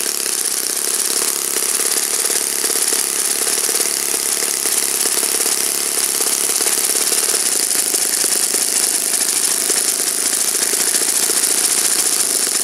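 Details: Saito FA-56 four-stroke glow engine, first run after teardown, cleaning and bearing replacement; apparently moderate-time engine on 12x6 prop, OS F plug, 5% Omega fuel. Crisp, even high-pitched buzz holding steady revs, no misses or sag; normal running.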